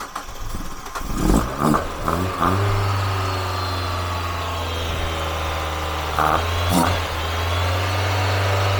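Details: Mazda MX-5 1.8 VVT first start with newly fitted Jenvey ITBs, ME442 ECU base map, idle raised since no idle control valve: cranks briefly, catches with a couple of revs, then settles to a steady, even, fairly high idle with no misses; normal.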